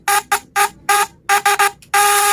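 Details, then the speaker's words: Contact-breaker fish shocker tested under load: sharp high-pitched buzz in short bursts, about four a second, then a long continuous buzz, sounding different once loaded versus unloaded; buzz under load. "bisa dari suara juga bisa didengar kalau sudah kena beban beda ya teman-teman ya kalau tanpa bukan begini kalau tanpa beban tapi kalau sudah ada beban"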